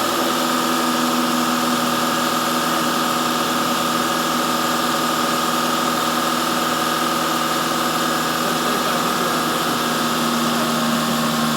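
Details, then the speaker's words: Engine held at raised speed during a vacuum gauge test (idle 19, dipping slightly when held) hums smoothly and evenly with a steady tone, no misses or surging; normal running. "that's normal running."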